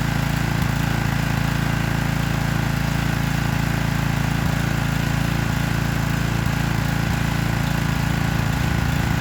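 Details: Troy-Bilt pressure washer single-cylinder engine running unloaded after washing, no air filter, spark plug only finger tight and wet: quieter steady beat about four pulses a second, no stumbling or surging, healthy.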